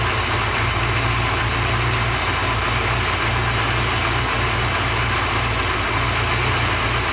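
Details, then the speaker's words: Porsche 928 V8 after oil pump work: smooth, steady idle with even low rumble and no whine on top; all sounds good. Normal idle. "I've just been running up for about 10 minutes now all sounds good very happy with that"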